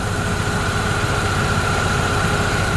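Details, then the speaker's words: Opel Astra G at idle with A/C and fan on max, after replacing the worn belt tensioner: steady even idle, faint fan hum, no rattle; new tensioner barely moves and holds the multi-V belt firmly. "Tôi đã nghe thấy rằng im lặng là mọi thứ đang hoạt động hoàn hảo đai mới"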